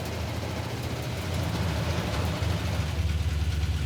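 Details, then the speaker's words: Hemi-powered 1970s-styled Gremlin being driven while running hot at 210–220°F: lumpy V8 idle with a faint quick ticking, about three to four a second, over the rumble; a noisy lifter tick. "I hear a little bit of a lifter tick I'm worried about the the valve drain noise for sure"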